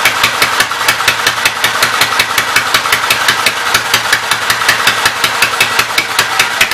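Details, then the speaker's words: Westchester engine, just revived, running on about 3/4 choke: sharp, even ticking at about 160 a minute over a thin drone. It runs rough and smoky and pumps oil from a worn top end, and the owner plans a cylinder overhaul. "not bad. It's even pumping oil."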